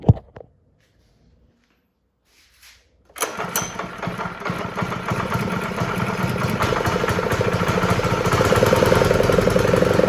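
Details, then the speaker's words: Honda GX120 after unplugging the yellow wire of the faulty low-oil sensor, kill switch now working: quiet, then it catches and settles into a steady, even putter with no stumbling. Normal running. "So now the kill switch works, and the engine starts right up."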